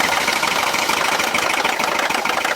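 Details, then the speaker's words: Mercedes M276 engine right after start-up: loud, busy metallic rattle from a worn camshaft adjuster, timing-related, may or may not set a check engine light and can eventually damage the camshaft. "So number 2 is the camshaft adjuster. So a lot of times when you first start up that engine, it rattles like crazy."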